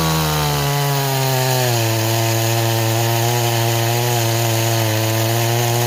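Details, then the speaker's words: Stihl 026 chainsaw, repaired after returning as a no-start, with a 20-inch bar cutting wood. It has a strong, even two-stroke howl that sags slightly as the chain bites, then holds steady. It cuts properly but slowly; an 18-inch bar is felt to cut faster. "okay it's doing a lot better now I really think the 026 should be with an 18 not a 20 that's just my personal opinion it cuts a lot better with an 18 than it does a 20"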